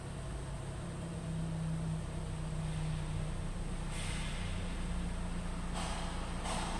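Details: 2013 Ford EcoBoost 1.6 L petrol engine idling with a steady, smooth low hum and no stumble, after cleaning the mass air flow sensor, which lowered idle rpm and cured the rough idle.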